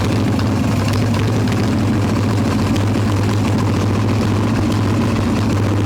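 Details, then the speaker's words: Harley-Davidson Evo Softail V-twin, warm, no choke, carb loose with choke plate off, mixture screw around one turn out: lumpy, uneven, loping idle with no steady rhythm; intake air leak, later traced to loose intake bolts and cracked vacuum cap. "come back out here and keep messing with this definitely have a leak on the intake somewhere and we'll try and get this started"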